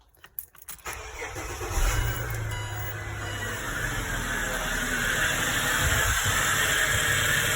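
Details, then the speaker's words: Ford Falcon after DIY harmonic balancer and oil seal replacement, pulley seen wobbling: engine cranks, catches and idles, then a shrill steady high-pitched squeal builds and holds; cause unknown. "Sounds like someone screaming in here. You hear that noise? Not entirely sure what that is, but other than that, it's all put back together as it should be, hopefully."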